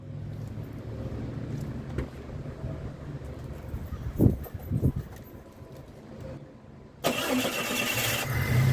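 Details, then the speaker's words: 2011 Ford Fusion 2.5L after reinstalling the missing serpentine belt: low murmur, then catches and settles into an even, smooth run; normal idle. "Well, it seems to work. Ladies and gentlemen, the best car ever."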